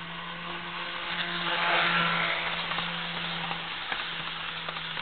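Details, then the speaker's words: Jouef Amtrak RTG Turboliner model train, first test run after rebuild with Kato F-3 drive replacing worn-smooth worm gear, about 50–60 then 79 scale mph: smooth steady motor hum rising with speed, light rail clicks, no grinding; normal running. "I estimate she's running at a scale speed of approximately 50 to 60 miles an hour. Let's take her up to a more prototypical 79 miles an hour."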